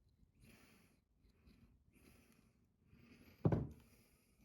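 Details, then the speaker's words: Old 220 V pump electric motor, long unused, being disassembled: quiet dry squeaks in bursts as its bearing is turned by hand; dry, dirty bearings needing replacement. "Ну вот, слышите, скрипит. На замену подшипники. И здесь скрипит."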